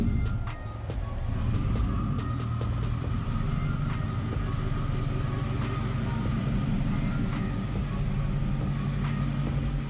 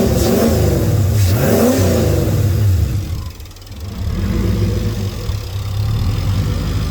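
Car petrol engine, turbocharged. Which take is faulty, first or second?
first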